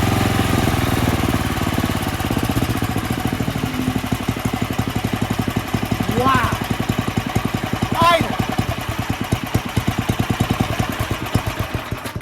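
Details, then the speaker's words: Snowblower single-cylinder engine, started first pull after 4 years in a shed, winterized with fuel shut off and stabilizer; fast, even full-throttle firing beat off choke, no misses or surging; normal full-throttle running. "I am super impressed. Guys, I am super impressed about how this fired up on the first pull after sitting for 4 years in that shed."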